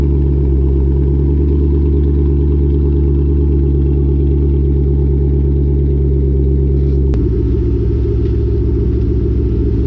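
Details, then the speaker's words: Lowered car (rear coilovers) with Borla catback: after wrapping the over-axle pipe with header wrap and fitting new bolts, a steady low drone from under the car while driving, with no metallic banging or rattle against the axle. "There is there is literally no exhaust rattle I hear from my exhaust banging on my axle anymore."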